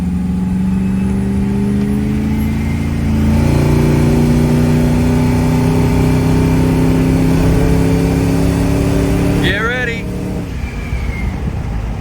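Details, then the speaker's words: Supercharged Hemi Mega Cab truck at about 50% throttle after regapping the spark plugs to 0.028 in and replacing a misfiring coil pack: clean, smooth pull as revs climb, no stumble or misfire; running healthy. "Oh, I love it. Absolutely love that. This thing is beautiful. It's just beautiful."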